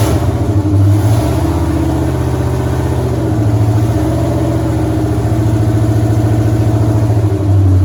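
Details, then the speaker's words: 1983 Mustang with cammed 5.3 LS from 2002 Avalanche, in park, thermostat not yet open, idling around 750 rpm (briefly dropped to 700 via HP2): loud lopey uneven chop, slight hesitation on the rev; flat-spotted idle needing tuning, cylinder temps even within 10 degrees. "It's got a little flat spotted idle, so we'll have to look at that. But cylinder temps all look pretty even, within 10 degrees or so. It's definitely got more chop with less RPM."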